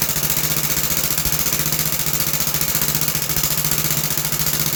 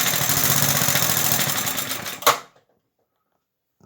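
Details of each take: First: About 66-year-old 1960s English-made Suffolk single-cylinder engine after a carburetor clean and a new plug wire, started on choke. A steady, even thump at about four beats a second with no misses or knocks. Runs normally. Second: Circa-1960 English Suffolk small single-cylinder engine, about 66 years old, after a carb clean and new plug wire; it runs well but a fast, loose rattle sits over its firing, located in the starting mechanism: starter mechanism rattle.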